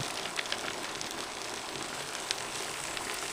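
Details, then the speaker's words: Gravity siphon gold dredge in Puerto Rico pulling material normally, hose kept submerged so no air enters: dense crackling patter with sharper ticks as big stones rattle through the suction hose; normal gravel flow. "you notice how you can hear the stones going through the tube?"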